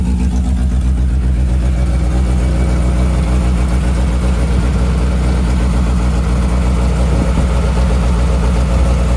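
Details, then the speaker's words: 1988 Suzuki Samurai parked since the late 1990s, running with no muffler and in neutral: loud, deep, steady drone at even revs with no misses or knocks. Unsilenced exhaust, otherwise running fine. "There's no muffler on this thing either."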